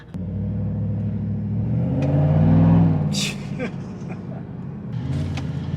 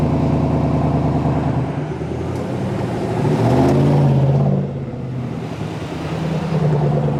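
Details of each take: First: 2019–2021 Chevy Silverado V8 after Pulsar LT install with DFM (cylinder deactivation) disabled and throttle sensitivity maxed: deep even V8 burble swelling with throttle and easing back, firing on all eight cylinders; runs clean. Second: 2019–2021 Silverado V8 with cylinder deactivation, cruising on the highway: the steady road drone's low engine note drops and changes character midway, the typical tone shift (helicopter noise when stopping) made more audible by exhaust changes.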